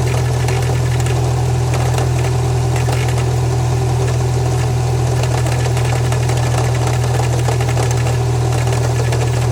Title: Ej20x Rod Knock?